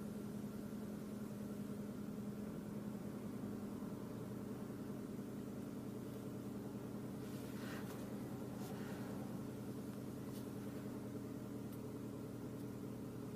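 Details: Vauxhall/Opel Zafira A 1.8 petrol automatic, 120,000 miles, engine warning light on: uneven, lumpy idle; in drive the traction control/ESP light comes on and it loses power. Cause unknown.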